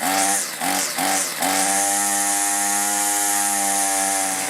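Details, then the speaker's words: Troy-Bilt two-stroke string trimmer, unused since last year after being stored drained for winter. It previously quit after 10–15 minutes. Hard to start: it catches in short sputtering bursts, then holds a high, wavering buzz. Owner hopes an aftermarket carburetor will fix it. "like I said eventually I can get it going but I'm tired of fighting with it and I thought a carburetor might take care of it"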